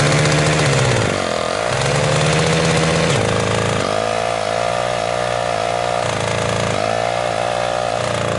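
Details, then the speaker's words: 1979 HTZ T-74 tractor after a first start at -8 °C with the carburettor flooded and decompression on. Loud buzzy engine hunting, revs surging and sagging about every second while warming. Owner blames stiff oil in hard frost for the rough running. "Tahab natuke ujutamist saada, natuke rohkem külmana. Ta on kange külmaga kõik see õli, sellepärast ta ei taha hästi käia, ma tahan soojamaks saada."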